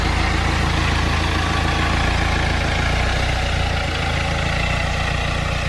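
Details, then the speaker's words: BMW N47 diesel engine after timing chain replacement and reinstallation; earlier no-start was a flat battery lacking amperage. Steady, even diesel clatter with smooth deep rumble at idle, no knocks or misses; normal healthy idle. "okay then so we finally managed to get these things started I'm so happy obviously we know the reason why wouldn't start in the first place it was a flat battery and just didn't have enough amperage"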